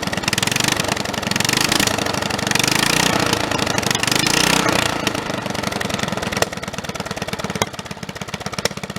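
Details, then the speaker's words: Snapper 30083 mower engine, first run after sitting 20–25 years, with a junkyard magneto and a non-original flywheel from a synchro-balanced engine: runs fast with a heavy irregular rattling shake, vibrating extremely badly from the out-of-balance flywheel. "until that flywheel there is often a synchro balance engine and it that thing is vibrating extremely bad"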